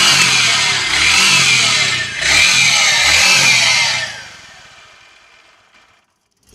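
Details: Motorcycle engine revved twice with a harsh, raspy metallic rattle over the revs, then winding down; new strange engine noise, owner thought top end only but expects to open the whole engine.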